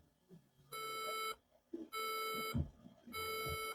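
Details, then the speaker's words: Laptop with no display and corrosion from liquid damage near the power switch, powered on from the charger without the battery. Three long, evenly spaced high beeps with a black screen: a RAM fault beep code. The cause was a faulty RAM module. "So the same is telling us that the RAM memory either is no longer responding with the system."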